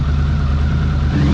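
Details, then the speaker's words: 1982 Honda CX500 Turbo revived after 25 years, new fuel pump and cleaned injectors; deep even engine note with rising whir as it revs and builds boost, running smoothly; normal running. "Check that out up there. Check that down. Ooh, watch his build boost up here."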